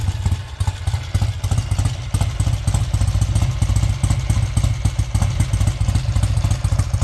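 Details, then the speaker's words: 1968 Triumph T100 Daytona twin, still a bit cold, warming up at idle. A steady, lumpy twin beat of about three to four pulses a second stays even with no knocks or rattles through the blips; healthy running. "it's obviously still a bit cold um so I want warming up I will fire it up again so you can see it ID"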